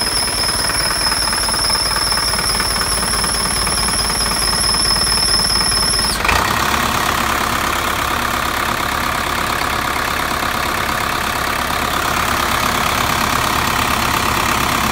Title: Exhaust leak